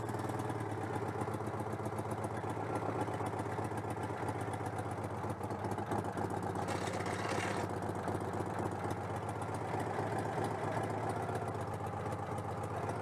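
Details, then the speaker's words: Citroën 2CV AZLP6 after fitting a centrifugal clutch, with leftover cleaner still in it: the air-cooled twin chugs at a steady idle with a slightly lumpy, uneven beat, which the owner attributes to the breather not being connected. "ah bah c'est pour ça aussi que ça tourne pas rond le renifle année par être raccordés du coup ça perturbe le moteur"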